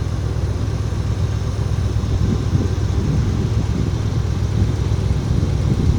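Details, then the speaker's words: 1978–79 Chevy K20 4x4 automatic V8 truck, revived after sitting about 15 years, smokes, two-stroke gas added: low, steady even idle with no misses; owner thinks carb bowl fuel is gone and it's running on old tank gas. "It's just idling along. I think it should have run out of fuel in the bowl by now. So, I think it's running on old gas in the tank."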